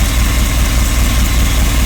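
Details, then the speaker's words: 1986 Rolls-Royce Silver Spirit II V8, parked since 2022, idling just after all 8 replaced: deep steady idle with faint occasional lope, slight misfire remains, not bogging at idle; bogs when floored, owner suspects fuel next. "Right, she's better. A lot better. Still misfiring ever so slightly. Not bogging."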